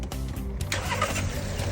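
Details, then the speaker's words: Car that previously would not restart once hot, restarted with normal water temperature after repair: catches instantly on first crank and settles into a steady, even idle; normal hot start, problem solved. "look here the engine is running very smoothly the problem has been completely solved"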